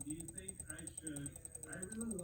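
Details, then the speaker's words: Furitek Komodo RC motor spinning unconnected at low crawling throttle: fast uneven ratcheting clicks with a faint high whine, silent at slower and higher speeds. Owner is unsure whether this is normal or the motor is faulty. "as i speed up it just jumps and then if i let off the trigger a little that sound and again this is not connected this is just the motor spinning making this sound not sure what's going on if that's normal or if i got a jacked up uh komodo out of the deal"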